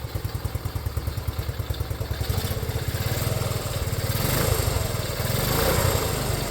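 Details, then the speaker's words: Restored Honda CT90 idling after one kick, fuel mixture screw not yet adjusted: small single with a quick, even putter about three beats a second, slightly lumpy but steady, with some intake sucking; runs fine. "I have not even touched the fuel mixture screw. So I'm going to try to do a little bit of that. And you can hear in here, hear it sucking in a little."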